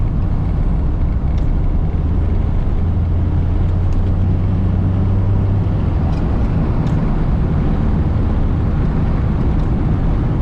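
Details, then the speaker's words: 1988 Mazda 323 manual transmission on a test drive after a fluid top-off, with windows up and AC on: steady road drone with a low engine hum under wind noise, no gear whine or grinding; gearbox sounds healthy. "I'm going to put it down to three actually so I can hear the uh engine and transmission noises a little more I was listening to that transmission see how she feels"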